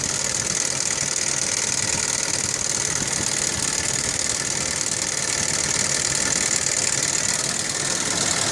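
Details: 1998 Audi 2.8 V6 5-valve petrol at idle with steady, even ticking about three per second from the driver-side front valve cover; abnormal valve train noise, owner suspects a chain tensioner fault.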